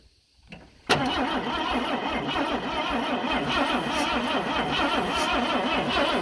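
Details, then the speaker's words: 1988 Ford F150 300 inline-six junkyard truck, new distributor, possibly low on fuel: fires about a second after gas is poured into throttle body, settles into rough uneven idle; fuel delivery suspect, unconfirmed. "we're going to cheat four foot gas in it see what happens"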